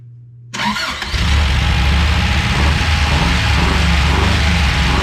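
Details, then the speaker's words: BRAT engine first fired up without throttle from a project car, with no throttle cable or exhaust fitted yet. Engine catches, then runs an uneven, hunting, loping idle. Runs rough; probable vacuum leaks, and engine condition is unknown. "well they don't sound very healthy but we'll tune on it probably still got some vacuum leaks"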